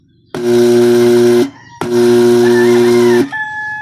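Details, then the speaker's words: RT3000W transformer gives two loud bursts of harsh mains buzz and humming at switch-on, caused by a wrong input voltage setting (110 V selected on 220 V supply). "Tapos pag binubuksan mo nagba-buser po siya."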